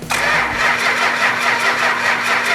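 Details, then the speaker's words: 440 engine with fuel pump on and oil pressure: even starter churning, never fires; crank no start, no spark. "Crank it over. Yeah, we got no spark."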